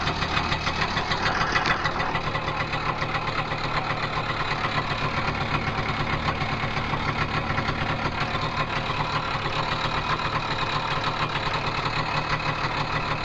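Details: Tomos two-stroke moped at idle: steady buzzing idle with a fast, busy metallic clatter riding on top throughout, a clutch rattle noise.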